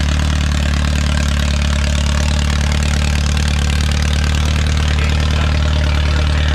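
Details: Original Renault 4CV four-cylinder (circa 1949-52, welded cracked block) reassembled after ~70 years in parts, first successful run, warming up: steady, even low-pitched idle with no misses, knocks or ticks; hardly any exhaust smoke.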